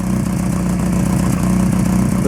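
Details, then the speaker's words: Lotus Excel idling just after exhaust rebuild: fast, even puffing tick over low engine note, exhaust blowing at most joints. "yeah unfortunately most of the exhaust bits are blowing I'm gonna have to use some exhaust paste I think to uh get that under control"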